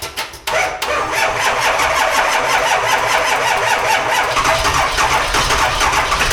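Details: Diesel dually cold start at 18°F on a jump box: sluggish cranking, then catches into a loud clattery idle; starter on its way out, only about three glow plugs work, batteries dead.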